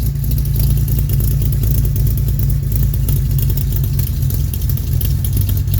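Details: 1969 Jeep Willys CJ5 petrol engine, cold start after sitting about 7 months with recharged battery, hard to start: deep, even low rumble with steady beat, no misses or knocks; runs well, smooth idle.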